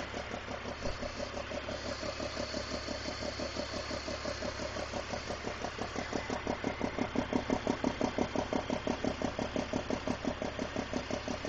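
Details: 2001 BMW 330i E46 with M54 engine at idle: a steady, sharp puffing tick that sounds like an exhaust leak. It turned out to be loose spark plugs.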